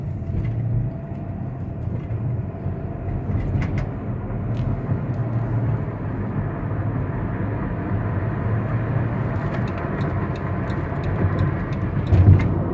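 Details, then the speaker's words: 2018 Dodge Grand Caravan SE Plus wheelchair van, 3.6L V6, 36,000 miles, highway test drive: a steady low road and engine drone building gently with speed, normal shifts, no clunks, whines or knocks. It runs normally. "so our cruise banned runs and drives great straight down the road shifts like it should"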